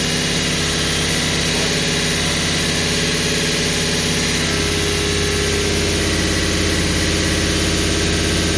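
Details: Holden HQ 308 V8, first start after full rebuild, bores re-sleeved to stock 101.6 mm, Crow Cams 5651 cam (282° duration, 114° LSA), remanufactured Quadrajet carburettor: deep, even burble settling into a steady idle, clean revs, no knocks or ticks.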